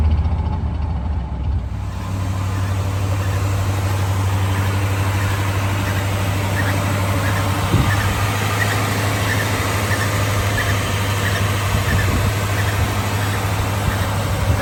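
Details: 1973 Chevy C20 V8 after replacing spark plugs and fuel filter, restarted to listen to the fuel pump: deep steady idle with a slightly uneven loping beat, sounds stronger and healthier but still a touch lumpy, like running rich.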